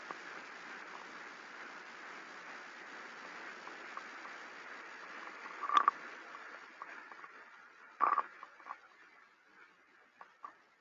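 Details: Defective rolling bearing heard through an SDT ultrasound instrument with structure-borne and airborne sensors: a steady rushing, crackly noise with sharper pops. It sounds more mechanical on the structure-borne sensor and more bubbly on the airborne one.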